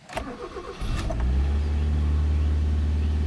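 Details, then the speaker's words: Mazda 323F with high idle, worse when cold: brief crank catches into steady fast drone that stays high and won't settle; idle still too high, cause unresolved. "still pretty high I'd say hmm I guess I'm gonna be living with a high idle"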